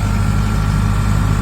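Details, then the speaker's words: Diesel generator engine labouring under a heavy alternator load during a field-fault voltage-fluctuation check: deep, strained drone whose speed and note change and lighten when the load is disconnected; burning smell noted, risk of high voltage. "आवाज देखो जैसे मैं यहां से हटाऊ एक काम आवाज change हो जाएगी इंजन की ठीक है"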